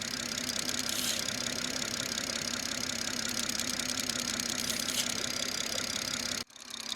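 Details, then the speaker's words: BMW B58 at idle, oil filler cap removed for a PCV test, microphone held close: steady hiss of air drawn into the crankcase; slight suction, cap came off easily, so the PCV system is working normally. "I got the microphone a little bit closer so you could actually hear the air leaking into the crankcase. And there was a little bit of suction, but again, I could pull it off with ease."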